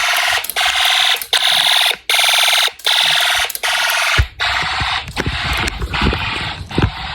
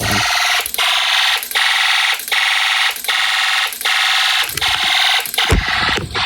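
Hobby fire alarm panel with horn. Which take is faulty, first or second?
first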